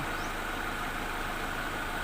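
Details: Toyota Soluna (orange turn-signal corner model) with a no-start fault: no power reached the spark plugs, traced to a failed EFI relay. After the relay was replaced the engine starts and settles into an even, steady idle with a low hum and no misses.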